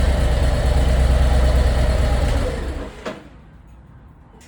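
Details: 2024 Harley-Davidson Road Glide after repairing a badly soldered coil harness that caused limp mode on one cylinder: a deep, even V-twin rumble holds steady, then stops with no misfire. Power is restored and the check engine light was later cleared.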